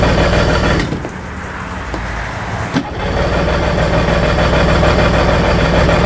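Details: Tohatsu four-stroke outboard on the water hose, carbs and fuel pump already rebuilt, running on choke: catches after cranking, then chugs with a lumpy, uneven beat, not firing on all cylinders.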